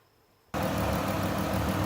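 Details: 2013 Chrysler Town and Country 3.6 V6 just started after an oil and filter change with 5 quarts of Amsoil and engine flush: smooth even idle hum with no ticking or knocking; no leaks, normal healthy idle.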